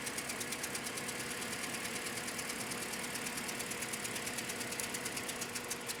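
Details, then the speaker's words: Toyota Scion, new AutoZone Duralast coils fitted, codes for cylinders 3 and 4 misfire: rough chugging idle with fast ticking pulse about six beats a second. "ar and like do you see the car chugging and chugging and chugging like it's running pretty rough all right codes currents cylinder 3 cylinder 4 okay that's pretty common"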